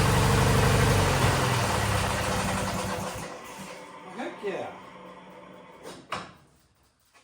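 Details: Wheel Horse GT-1600 WorkHorse garden tractor, Briggs engine, weathered, restarted: steady, even beat for about three seconds, then shuts down cleanly; runs fine.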